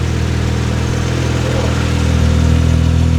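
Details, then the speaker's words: HKS-built T3G twin-turbo 1JZ in an R32 Skyline with HKS head and cams, straight exhaust into 3.5in R33 Nismo carbon cat-back, first start: deep, steady, even idle, tamer than expected, like a JZX100; normal healthy idle. "okay so it's not too loud at idle it's actually pretty Pleasant it kind of sounds like a j X100"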